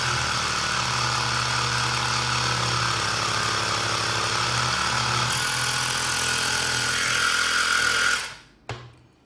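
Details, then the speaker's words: Woscher tyre inflator that failed within three months, with a burnt PCB part, powered from a bench supply after a repair attempt. A steady rapid buzzing chatter of about four pulses a second runs evenly, then switches off; it now works. "at least it is working. Now I will go ahead and test with the tire whether it is able to inflate the tire or not."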